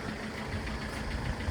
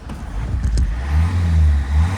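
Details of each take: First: Citroen C5 saved from the scrapyard, code P0215, just started. It runs poorly with an uneven low chug and lumpy beats over a dull rumble, then clears, with heavy white smoke at the rear. A leaking injector is suspected, not confirmed. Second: Citroen C5 petrol estate, previously failing to restart 15–20 minutes after warming up, fault code P0215, fuel drained and about 10 litres fresh added, MAF sensor disconnected: warm restart gives low, steady, even idle with no knocks or misses.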